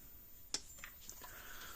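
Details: Premier 1 Hotshock 1000 fence charger repaired with retrofitted hard-wired replacement board, plugged in, indicator light flashing: sharp crisp snaps about 1.3 seconds apart in quiet room; normal fence charger pulse.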